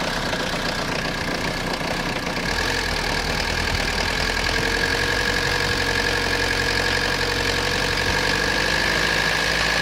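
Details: Citroen Jumpy/Dispatch XUD9TF diesel rough idle: loud clattery uneven lumpy beat about four pulses a second with hum; owner suspects air ingress into fuel line, fuel filter change didn't help, hesitates with timing advance plugged in.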